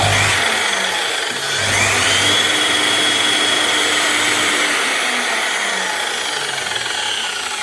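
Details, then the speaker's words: Makita LS1019 miter saw motor, 2020: high-pitched whine rising then running down with rapid rough clicking; heavy sparking and a raised commutator segment knocking on the brush as it slows; armature needs replacement. "you can hear the problem and you can see it. It's flashing like mad. You can tell it's gone, but you can also hear there's a raised segment. That's what that clicking noise is."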